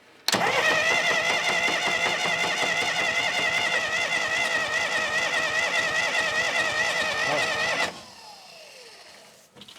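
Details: Diesel sawmill wheel loader sat 20 years, no ether: about seven seconds of steady starter whine and even cranking, never fires; cranks but no start.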